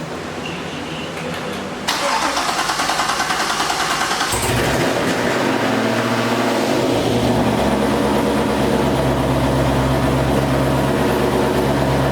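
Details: Corvette C6 V8 first start-up after failed lifter replacement: brief crank, quick catch, steady even idle with no tick; healthy engine after repair, later warmed above 220 with air in coolant.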